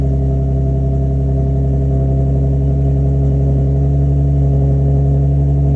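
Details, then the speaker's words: Nissan 350Z after a squeaky belt fix with new belts, a Z1 Motorsports lightweight crank pulley and a pulley delete, idling on a cold day: a steady, even, smooth low drone with no belt squeal or chirp. It is running smooth. "everything this running smooth now"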